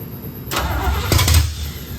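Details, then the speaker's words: 1972 Corvette C3 small-block Chevy, first start after rebuild: starter spins engine steadily for about a second, never catches; fuel had not yet been pumped from tank to carburetor. "Apparently I cranked it enough to pump gas from the tank to the carburetor at the front end."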